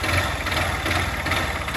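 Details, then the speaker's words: Honda CG 160 motorcycle at about 99,000 km, rough struggling single-cylinder idle with heavy rapid knock that won't hold idle and stalls, some smoke; suspected connecting rod bearing and/or cylinder kit wear, engine to be disassembled. "que realmente o barulho aqui ó tá incrível"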